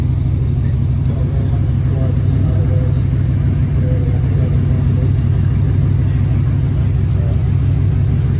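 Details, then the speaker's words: 1957 Ford F250 with 272 Y-block V8, first start after almost 30 years during restoration: deep even burble at steady idle, no ticking or knocking, deep exhaust note; sounds healthy, normal idle. "sounds good sounds kind of mean actually your y-block V8 I like that deep V8 exhaust note"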